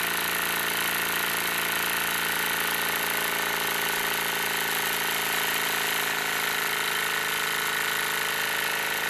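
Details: Wilesco D-18 tabletop steam engine running outdoors in a back garden, throttled back and running slowly: steady, even hiss and chuff with no knocks or stumbles; normal healthy running.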